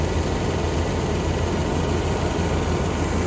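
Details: 1993/94 Chevy G20 van, TBI 5.7 V8, idling while bleeding coolant after temperature sensor replacement: steady low rumble with even, unbroken beat, nothing knocking or ticking; normal idle.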